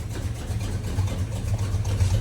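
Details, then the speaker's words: $100 Chevy 350 V8 for a 1972 Chevy truck, first run, untimed, poor carburetor, valve covers off: lumpy, uneven low rumble with wandering beat and backfiring; rough running, needs timing and carburetor tuning. "It's alive! It's alive! And it's backfiring. Yeah, it's not timed at all."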